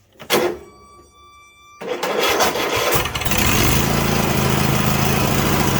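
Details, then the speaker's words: 2016 Craftsman T8200 Pro riding mower, 24 hp Kohler Elite KT735 with 46 hours: short crank, catches on carb cleaner sprayed into the intake and runs ragged; no fuel delivery from the carburetor. "So at this point, we know that the issue is that we're not getting fuel."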